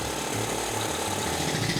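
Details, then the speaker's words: 2022 SG250 cafe racer single-cylinder engine, warmed up after the handlebar choke was backed off fully. A steady, even thump idling on its own with no knocks or misses; a normal warm idle. "no the engine's warm and running at idle on its own the smooth operation of the throttle so i know that the engine's at running temperature"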